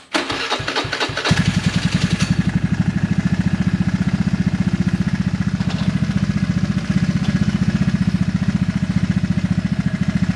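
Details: Honda Vario 110 carbureted scooter with newly fitted stainless R-One standard-racing exhaust: at idle after startup a fast regular light ticking, three to four per second; owner says engine currently has a ticking (ngeletek) noise, cause not stated.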